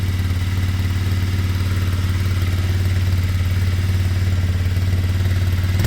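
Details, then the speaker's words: Kymco Zing 125 single-cylinder after running issues sorted: steady, even putter at idle with no misses, knocks or rattles; runs smoothly and healthy, earlier running noticeably happier with a hand over the air intake. "Hey, we're back. Wow, that sounds great."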